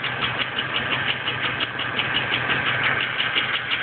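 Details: Junkyard GM 3.4 engine from a 2004 Impala, swapped into a 1999 Alero after new upper and lower intake gaskets, pushrods and rocker arms reinstalled: steady sharp knock/tick about twice a second at idle, persisting after 15+ minutes warm; owner unsure whether rod knock or rocker/pushrod, seems front.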